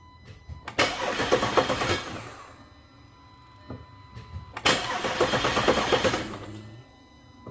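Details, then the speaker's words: Audi A5/A6 3.2L after major repair for internal coolant leaks, oil pan redone, fuel-system fuse pulled to prime oil pressure; two separate bursts of even cranking, a second or so each, never fires. Cranking without start, fuel disabled. "it's going to go a crank but no start on this it's going to build up pressure on the oil so make sure take out the fuse for the fuel system"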